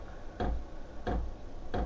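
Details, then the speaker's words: New VEVOR diesel heater on first start: soft regular clicks about every two-thirds of a second in a quiet room, speeding up; normal dosing fuel pump ticking. "Je sais pas si vous entendez le le petit claquement de la pompe. J'espère que ça va s'estomper parce que c'est quand même assez brouillant hein."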